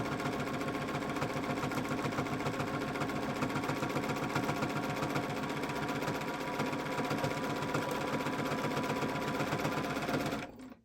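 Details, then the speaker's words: Sewing machine with free motion foot, size 90 needle, densely woven hand-dyed fabric: steady stitch beat about four per second, each stroke thumping heavily; needle too large for the thread and fabric, a thinner needle would be better. "Needles are fairly large. I think they're size 90, which is overkill for the thread that I'm using. But and so and then the fabric that I'm using is cherry wood hand-dyed fabrics, and it's very densely woven, so I can hear the needle kind of thumping through the fabric."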